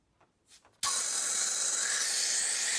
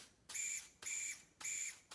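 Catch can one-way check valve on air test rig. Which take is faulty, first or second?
second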